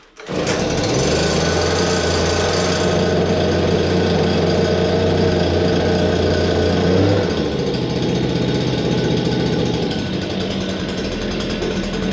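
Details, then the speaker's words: Stihl SH86 two-stroke vacuum/blower, started on full choke then half choke with primer bulb; a steady high-pitched buzz holds several seconds, then eases to a slightly lower smooth note. It runs cleanly and starts reliably: normal running. "that is that is the beauty of the steel products it's reliable it will start virtually"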